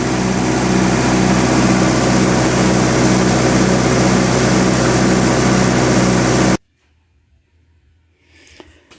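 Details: 1958 Oliver 550 diesel tractor, started after reassembly, run with the intake tract open before the air cleaner is refitted. Even, regular chug at about four beats a second with no misses or knocks, then it cuts off: running normally.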